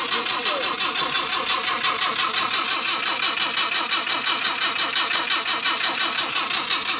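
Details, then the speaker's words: Ford Mk1 Cortina, original 1200 engine, cranking on a jump pack. An even starter rhythm at about three compression pulses a second never catches. There is little fuel smell and a dodgy ignition switch is suspected; the points were later cleaned to get spark. "Right, so can't really smell any fuel unless somebody's drained the fuel out of it."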